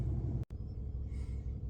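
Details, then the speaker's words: 2022 Ram 2500 5th-gen Cummins turbo diesel just started after replacing both fuel filters and priming the fuel system: low, steady rumble with an even beat, no misses or chugging from fuel starvation. Smooth, healthy idle. "to turn over the engine and hopefully it should start up with no problem. So there you go."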